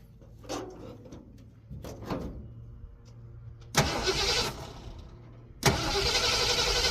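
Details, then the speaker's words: 1952 truck cranked in two bursts but won't fire; a carburetor part removed during accelerator pump replacement was left off, diaphragm bad, fuel spilled around intake; starter turns engine over without catching. "Guys, I'm done. I took this off a while ago. She will never fire up without that on there."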